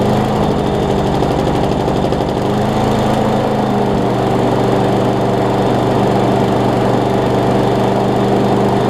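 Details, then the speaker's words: Craftsman push mower with Briggs engine after new carburetor, flywheel key, pull rope and lapped valves, started with starting fluid, carb now priming; water found in it: catches and holds a steady, even drone, settling to a slightly different speed; normal running. "man this had a bunch of water in it i did not actually did not expect it to crank and run like it did"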